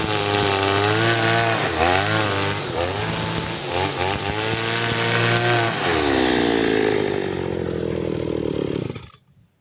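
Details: Side-mount two-stroke brush cutter with its carburetor fuel screw (under the carb) turned half a turn for string-line use, cutting grass: high, crisp buzz that holds and picks up cleanly, no bogging, then winds down; normal running.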